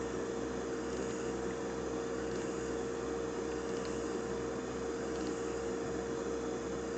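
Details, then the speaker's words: Hummer H2 fuel pump assembly running on the bench, pressure regulator turned up so current rises: constant mid-pitched electric whir with no surging. The Venturi feeds fluid back into the reservoir, recycling normally. "so that's quite quite a spectacular operation of your fuel pump you can see that we're then the Venturi is feeding fluid back into the reservoir filling it up and it's just nicely recycling"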